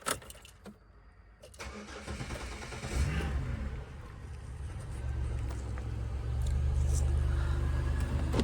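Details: Flood-damaged Buick Rendezvous after interior removal, cleaning and rebuild. Brief crank, then the engine catches within a second and settles into a smooth, even idle that steadily firms up. Starts and runs normally.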